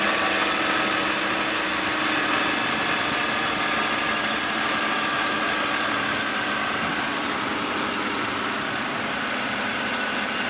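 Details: BMW E92 328i N52 petrol engine at steady idle with only a light, even valvetrain tick and no rattle. This contrasts with a marble-like rattle that began after the dealer replaced the VANOS solenoid and stops partway through.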